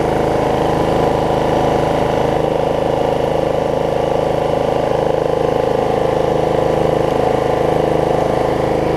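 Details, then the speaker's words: Snapper 28-inch rear engine rider mower after plug pulled and refitted, owner suspecting bad or too much gas had stopped it starting: smooth, steady drone with even beat, no stumbles, knocks or surging; running healthy. "doesn't do anything listen to how good it runs"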